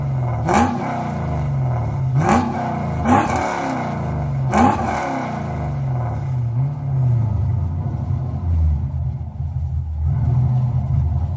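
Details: Car "Suzie" just after new starter fitted, started on a weak battery; a few sharp cranking blips, catches and settles into a lumpy, choppy roller-cam-like lope; runs.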